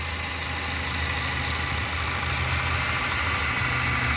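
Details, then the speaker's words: 2014 Chevy Impala LS, 154,000 miles, 2.5 L EcoTec four-cylinder with new spark plugs, coils and oil, idling under the open hood: quiet, even hum with no knocks, ticks or misses; normal healthy idle. "Maybe then you can hear the engine run. It is quiet. So is the 2.5 L EcoT, not the oil burning 24."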